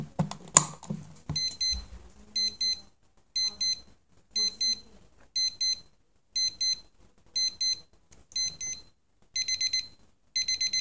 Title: 目覚まし時計 CASIO TQ-156 3段階アラーム音